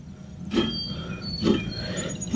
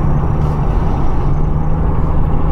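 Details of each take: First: 2004 Acura TSX 2.4, rear wheel bearing checked with the rotor removed and the hub spun by hand: a gritty low rumble swells with each push, about once a second. The other side is smooth; this rough rear wheel bearing needs replacement. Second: 2004 Acura TSX 2.4 after rear wheel bearing replacement, road test at about 45 mph, rear window down: steady low road rumble, no grinding formerly heard around 30-40 mph; rear bearings now quiet.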